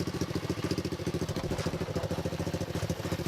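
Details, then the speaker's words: X18 pocket bike single-cylinder after swapping oversized carburetor for stock carb, jump-started: quick even putter, no rattles or misses; quieter and smoother than before, normal idle. "Sounds a lot better than before, definitely. Sounds quiet. Very more quiet."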